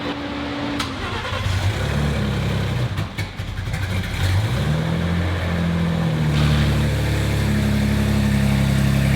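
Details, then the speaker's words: Freshly finished Bronco race build for King of the Hammers; steady idle with light blips, no knocking or rattle; sounds healthy. "yeah it sounds like everything's pretty happy though"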